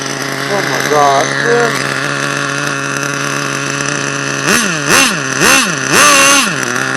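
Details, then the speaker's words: HPI Savage nitro truck, HPI 4.1 engine: screams up and down in quick rev bursts with no drive taken up; owner suspects a stripped gear, not confirmed. "well I think that's the gear the gear made up feel it man"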